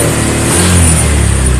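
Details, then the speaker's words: Honda Vario 125 LED scooter (fuel-injected) held at full throttle: revs drop and exhaust goes brebet (stutters) instead of climbing, fuel pump pressure normal (reads 40). Power loss and misfire at wide-open throttle from a faulty throttle position sensor. "h tangan saya lihat ini gacor turun-turun polini restore urut-urutan suara knalpot brebet brebet brebet"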